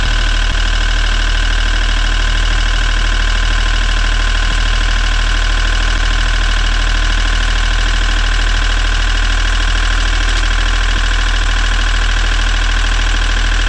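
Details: Sailboat diesel engine idling steadily with even clatter, no misses or surging, after troubleshooting a stall suspected from a clogged secondary fuel filter; normal idle.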